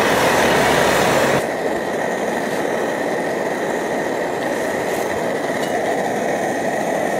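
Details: Optimus Hiker Plus stove, cooking lunch; steady, even roar with soft hiss on top, loud at first then settling: normal burner roar.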